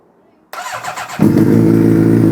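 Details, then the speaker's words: Rebuilt Suzuki GSX750 fire-up after fitting parts, fuel pump on; starter cranks briefly, engine catches cleanly and settles into a steady even idle: normal start. "yeah. It sounds so good."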